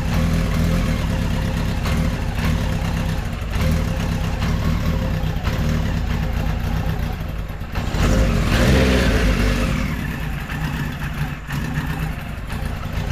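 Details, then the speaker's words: 1973 Kawasaki Z1 900, started with enricher after plug caps swapped to non-resistor: lumpy running with irregular stumbles that swell under throttle then sag, not firing cleanly on every cylinder; rough running, cause not confirmed. "well now it's not running as good as it did yesterday he just doesn't want to"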